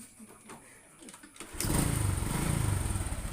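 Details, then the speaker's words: Honda Supra X 125 single with modified lighting charging setup, lights switched off: after a quiet moment it starts into a slow, lumpy, uneven idle that sounds ready to stall; idle speed set too low, mechanic says raise it slightly. "Oh ini gasnya emang kurang gede nih mas, gedein dikit."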